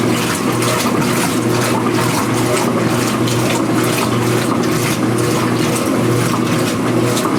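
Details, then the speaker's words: Speed Queen washer after the agitation-rattle repair (driver reinstalled, underside cleaned), run with a small load and suds, mic near the camera: even back-and-forth swishing with no rattle or knock, quiet and healthy. "all in a normal distance now I have the microphone near the camera nice and quiet especially when there's some Suds in SHO like this"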